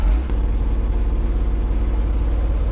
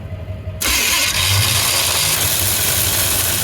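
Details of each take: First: 1985 Chevy C20 V8 pickup, abandoned in storage 20 years: deep, steady, even idle with no misses. This is normal running after loose carburetor bolts were fixed, many vacuum leaks capped and the California emission equipment removed. It sounds much better. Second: 1985 Chevy C20 pickup, abandoned in storage 20 years, cranking with temporary battery hookups and spark confirmed: a click, then a sluggish, labouring churn with no catch. Slow cranking from a worn starter; the flywheel is good.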